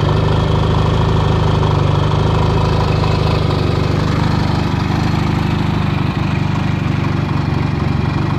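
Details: 1979 Yamaha XS650 360-degree-crank parallel twin after a rebuild with rebored cylinders, new pistons and new stainless valves: a steady, even beat that holds firm with no knocks, misses or rattles; running healthy.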